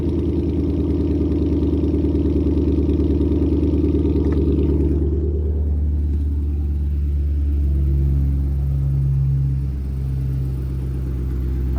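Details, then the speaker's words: Lowered car after headers loosened and cat-delete pipe refitted with more chassis clearance: steady low idle rumble with fast raspy puffing at each firing, exhaust leak at a joint, later fixed. "Dang it, now it definitely sounds like it has an exhaust leak. Oh yeah, that sucker's leaking."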